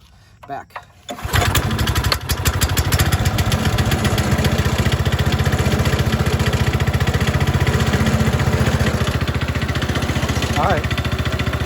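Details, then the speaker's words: Manco Fox Conquest go-kart single after carb work, started on choke with low throttle, cold and warming up, leaking gas, oil change due: catches after a sputter into a steady, even chug; motor runs well. "let me let it warm up a little bit change the oil and I'll turn it back well the motor runs pretty good"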